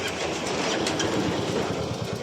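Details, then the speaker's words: Royal Enfield Bullet single-cylinder idling with a worn drive chain and sprockets; a steady, rhythmic, dry slapping clatter over the thump. The chain is worn out, and the fix starts with oiling and greasing the chain. "किसी भी bullet पे ये आवाज है चैन की होती है"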